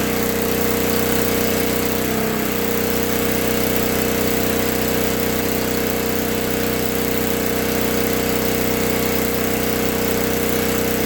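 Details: 1964 Lincoln Weldanpower 150 AC welder/generator (year guessed) revved up after a new coil, condenser, plug, plug wire, fuel line and filter, and reset points. The magnet had been rubbing the coil. Fast even drone at high revs, no misses, knocks or surging. Healthy.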